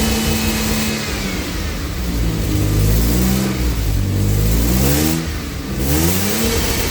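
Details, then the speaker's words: AJ30 Jaguar / Ford Duratec V6 in a Gilburn Invader on ME360 ECU, cold, during VVT setup: revs surge and cut off sharply near the top each time, like a rev limiter coming in. "Now, what I noticed there, and maybe you did, too, that was something like a rev limiter coming in. So that's not quite right."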